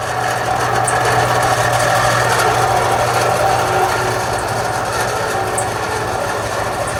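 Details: AC unit fan motor with a steady high screech and rhythmic scraping over the fan hum, still noisy after greasing the bearing; a dry or failing motor bearing is suspected, possibly needing a new motor.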